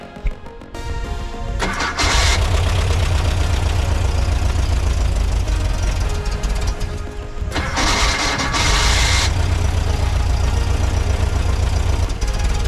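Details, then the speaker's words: 1978 Volkswagen Type II Bus rebuilt engine after 20+ years sitting, heat shield and full exhaust installed; starts right up, steady even idle; normal start and idle. "Sounds really good. Okay, so I just made some adjustments to the timing and I've got better seal I think on the vacuum lines."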